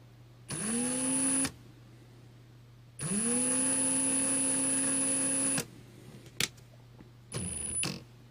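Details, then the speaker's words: 2017 Ryobi R18PD7 brushless cordless drill whirs up, then cuts out abruptly mid-run as if overloading, even with the trigger fully pulled; releasing the trigger resets it. Gearbox sounds noisy and straining. Fault occurs with light trigger use. "apart from I have a issue with it as it cuts out on a low trigger setting, and I don't know whether it will now or not, but we'll give it a go."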